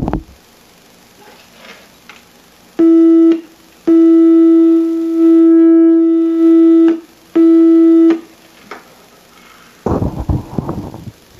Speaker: setting the input selector to audio and connecting the audio input to the generator's audio output we can hear the 400 HZ audio tone from the generator of the speaker volume is controlled by the gain